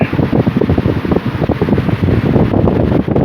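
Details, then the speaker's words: 1950s Worcester Wizard 6JC3020 20-inch box fan with sleeve bearings, before restoration, running on low (more like medium speed): steady soft whoosh of air, no rattle, wobble or vibration; normal running. "I will knock it down to low. The low really isn't all that different from high. It's more like a medium speed."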